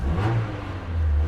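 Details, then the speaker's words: 2010 Hyundai i30 at auction, 45,000 miles: smooth deep rev rising and settling cleanly, no knocks, rattles or whine over the exhaust note; engine sounds healthy. "That sounds really nice."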